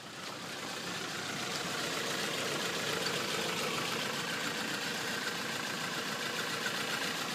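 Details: 2005 Toyota Corolla LE 1.8 automatic with codes P0300–P0304: idle stumbles unevenly, about three to four beats a second with dropped pulses; multiple cylinder misfire, cylinders 1 to 4.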